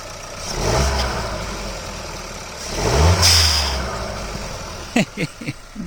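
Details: VW 1.5 TSI after installing Forge FMDV22 blow-off valve: engine blips twice with a short airy hiss as each rev drops; blow-off valve venting normally.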